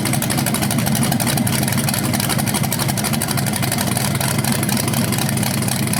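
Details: BluePrint 396 crate engine for a 1970 Camaro SS on its first run after oil priming and timing check: strong even idle burble, firing pulses about four per second, no knocks or misses; no leaks, healthy.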